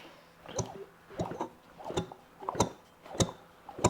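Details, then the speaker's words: 1977 Johnson 9.9hp Seahorse outboard, unknown last run, plugs out and slightly rich, flywheel turned by hand: even whooshing compression pulses about ninety a minute; normal compression when cranking. "hear that? That sounds good. Sounds very positive."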